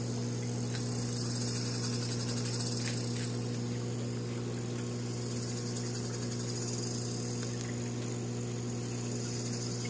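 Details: MP40 dryer, dry side: constant low hum with a faint repeating chirp about three times a second, humming and chirping noise, cause undetermined.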